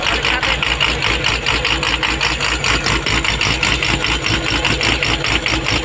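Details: Komatsu PC200-8 excavator common-rail diesel, previously crank no-start from a defective rail pressure sensor giving no rail pressure: now an even, rhythmic idle with steady pulses and a bright clatter, running smoothly.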